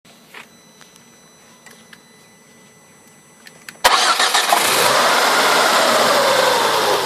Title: Focus ST mk2 power steering pump strange noise